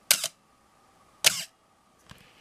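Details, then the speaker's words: Canon AE-1 Program 35mm SLR with FD 50mm f/1.8 lens, one-second exposure with aperture stopped down, pre-sale check. Crisp snap, faint thin squeal through the exposure, then closing snap: shutter squeal while running; camera otherwise works. "and then the cycle completes so everything worked but we did hear that squeal"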